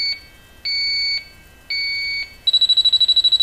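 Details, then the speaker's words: Viking Professional wine cooler, three copper evaporator coils, back wall removed: leak sniffer gives slow high beeps, then jumps to rapid chirp near sweated suction/discharge line joints; refrigerant leak found there, to be confirmed with soap bubbles. "okay i think it's down here ah yep we're getting the leaks down here i think"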